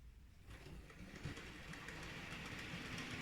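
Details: Model railway loco on the layout: light, even motor whir with soft rail clatter, no stutter or surging, running smoothly; same loco elsewhere struggles pulling a heavy load forward up a just-over-1% incline.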